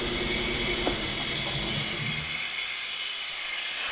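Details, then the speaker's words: New Polar Air Industrial Plus 7.5 HP quiet air compressor (Eaton Compressor), first startup during installation: constant hard hiss over the running compressor as air blows straight out the open front drain port, auto drain not yet fitted. "It's all blowing out the front right now because there's an auto drain."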